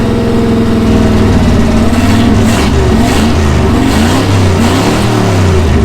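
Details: 1966 Ford Galaxie 390 big-block V8, first run after 35 years in storage, plugs newly fitted, no gearbox: revs unevenly, pitch wavering and firing beat lumpy; running rough.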